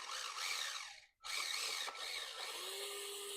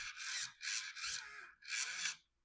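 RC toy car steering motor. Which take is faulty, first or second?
second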